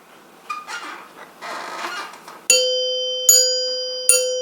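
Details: 1930s NuTone Time-Chime 2-note chime base being reassembled, tone bars tried with finger-tightened nuts: three clean, ringing strikes about a second apart, each decaying smoothly with no buzz or rattle. The chime bars sound healthy.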